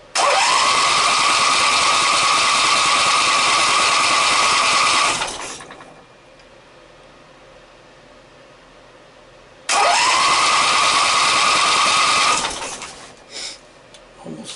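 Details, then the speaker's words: Briggs & Stratton opposed-twin engine with dual carburetors and dual exhaust, both chokes pulled and fuel present: the starter spins steadily for about five seconds, stops, then spins again with no firing. No spark is seen. "let's see if we get some spark I don't see any spark"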